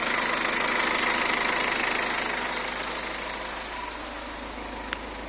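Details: 2015 BMW 520d, 140 kW B47 diesel, 220,000 km, oil serviced every 30,000 km: an even, fast clatter of about 220 per minute over the idle, fading slightly; suspected timing chain rattle, unconfirmed.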